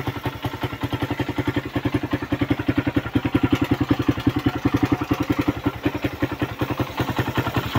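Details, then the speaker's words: Suzuki Raider 150 run without oil, which overheated and damaged the spark plug: loud rapid ticking from the valves at idle, plus crankshaft and piston bore noise; worn parts, needs general overhaul. "Ayan lumalagitik yang lumalagitik na yan sa valve. Tapos sumunod dito sa may crank shop tapos dito sa may piston bard."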